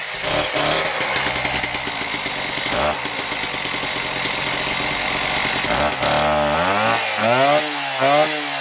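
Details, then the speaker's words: Husqvarna K770 power cutter after no-start repair and carburetor/air box reassembly; two-stroke buzz picks up cleanly and revs swing up and down crisply with each throttle blip. Runs healthy. "so the machine runs we're gonna put it back together now"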